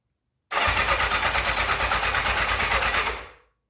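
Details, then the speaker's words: 1984 Honda CB700SC Nighthawk: reportedly started before but wouldn't idle, and the battery was run down by earlier cranking. On partial choke, the starter spins with steady, even pulses for about three seconds and never fires. "yeah must be some old gas or something because I thought he said it ran okay but it wasn't idle or something"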